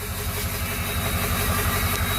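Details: Flatbed truck at about 213,379 on the odometer, warmed up: lumpy, uneven idle stumbling every few pulses; misfire that is getting worse, compared against a smooth-idling second truck.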